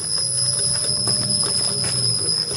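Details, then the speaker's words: Ola S1X 3 kW key variant electric scooter pulling away slowly, about 6-7 km/h: thin steady whistle from the rear hub motor over road rumble; owner thinks it is normal motor gear noise under load at start. "ये देखिए दोस्तों, सीटी की सी आवाज़ आ रही है।"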